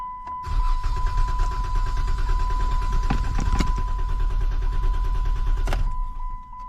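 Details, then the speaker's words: 2013 Dodge Challenger brought in by tow truck, crank-no-start: the starter spins the engine at a steady quick beat for several seconds but it never fires; fuel nearly empty, battery in the trunk to be checked next. "So, it crank but no start. Let's try again."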